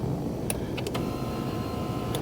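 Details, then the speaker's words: 2021 Mazda CX-9 power seat motor running normally after seat track replacement, with a short, smooth, even whir and a click at start and stop as the seat moves up, down, back and front. "so uh let me get all this put back together and let's see how everything works okay there it is everything is working up and down back front seat back"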